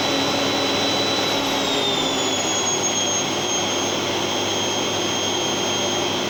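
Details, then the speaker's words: Genér8 Power Max 2000W vacuum cleaner, old unit, started on highest setting then dialed down: smooth rushing whir whose whine slides down in pitch as speed is turned down, then holds steady; motor running normally. "so that's its lowest setting [Music] and that's its highest setting so yeah it is pretty loud actually when it's uh when it's on high"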